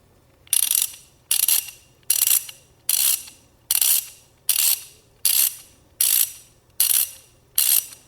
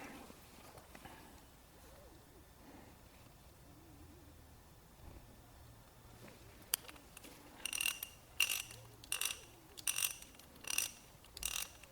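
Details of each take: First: Old socket ratchet wrench before cleaning and greasing, about 97.5 dB: sharp, high rasping clicks in even bursts, quickly fading; pawl running dry, no grease. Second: Older socket ratchet after disassembly, cleaning and greasing: short bursts of crisp fine clicking, measured about 77.5 dB, much quieter and smoother than before.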